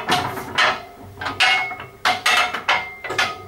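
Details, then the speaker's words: RB211-22B turbofan front fan turned slowly by hand: loose bursts of metallic clacks as each blade's clapper knocks the adjacent blade's clapper; the normal rundown rattle, bearings fine. "the noise you're hearing when the engine runs down um is basically the clappers That's The Clapper there banging Against The Clapper of the adjacent blade"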